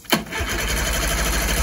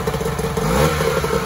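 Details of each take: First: 1994 Mariner 30 hp outboard after a carb clean, on a restart: sharp start then steady starter churn without catching, cranking but not running. It is suspected to be flooded. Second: 1994 Mariner 30 hp two-stroke outboard running in a test bucket after a carburetor clean and lower unit service. A short burst of clatter picks up cleanly when the throttle is blipped. Normal throttle response.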